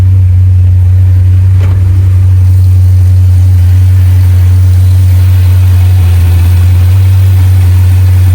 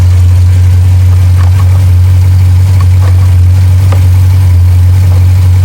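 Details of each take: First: 2021 Jeep Grand Cherokee SRT 6.4 with a check-engine light and code P0306: V8 idles with a deep rumble and faint unevenness from a cylinder 6 misfire; coil pack or spark plug suspected. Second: 2021 Jeep Grand Cherokee SRT 6.4 V8 after cylinder 6 misfire (P0306) repair on coil pack or spark plug, check engine light cleared: deep steady even idle, no stumble or skipped beats; normal idle.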